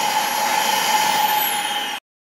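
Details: Dyson DC37/DC33 vacuum after repair: steady even high motor whine with airflow rush, no rattles or pitch wobble, then clean shutoff; motor runs smoothly.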